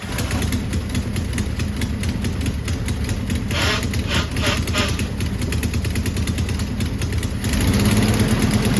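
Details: Garden-find 1970s Volkswagen bay window campervan, air-cooled flat-four, first start off the key in over 30 years after seized engine freed; running on its own with uneven loose beat and some rough patches but keeps firing; normal running, van then reversed.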